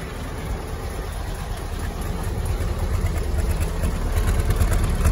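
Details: Willys L134 flathead Jeep after a head gasket replacement and a 4–5 mile drive: low, steady idle thump at roughly three beats per second, even and smooth with no knocking; idling healthy.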